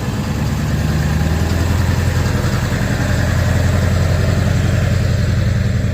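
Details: Ford 7.3 Powerstroke diesel after replacing suspected bad crankshaft position (CPS) sensor for cutting out/no start: deep even idle, about three to four beats a second, never stumbling or cutting out; normal healthy idle after fix.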